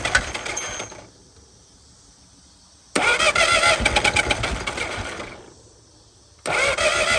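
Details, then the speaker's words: 1950 DeSoto six revived after sitting, fuel poured down the carburetor throat into the manifold: catches and runs in ragged, stumbling bursts, not firing on all six; owner suspects debris on the plug wires; misfire. "Doesn't run good, but it runs. Thing sounds like it ain't hitting on all six, but it's running."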